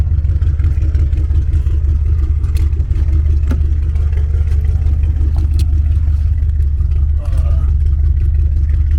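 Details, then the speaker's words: Lowered BMW 7 Series, driven back to the driveway (AC compressor blown, inner chiller system): strong, even engine note under way with steady pulling, no knocks or rattles; engine running fine while driving. "Man, she sounds good. I miss driving this car."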